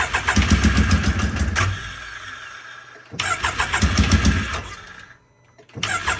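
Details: Can-Am X3 after swap from Garrett 43mm to FP Green turbo and removal of MoTeC standalone ECU, MAP sensor just swapped: two bursts of quick even cranking about four beats a second, brief stumbling catches, no pickup; cranks but won't start. Plugs then found extremely black.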